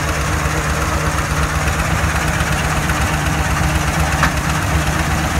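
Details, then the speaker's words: 2014 Ford F-250 Super Duty 6.2 V8 with the check engine light on. A serious, uneven knock under the hood at idle, about two per second, with possible backfiring; its source is hard to locate. Misfire later traced to a broken exhaust valve spring. "a check engine light is on and man there's some serious knocking noise going on underneath the hood"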